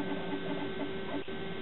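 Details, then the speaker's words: Used Macintosh SE computer just booted from floppy (its hard disk is not recognized): steady, fairly loud whirring hum with a constant low drone from the cooling fan, which is running quite loud. "You hear the fan, it's quite loud."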